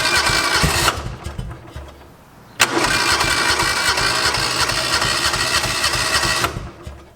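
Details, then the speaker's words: 2005 Kawasaki Mule 600 with 237 hours, owner-reported rough running, sputtering and misfiring, suspected fuel or carburetor issue; starter cranks in two long bursts, engine turns over evenly but never fires: crank-no-start, spark check next. "of course now i can't get it started but take my word for it that it's misfiring and running like crap"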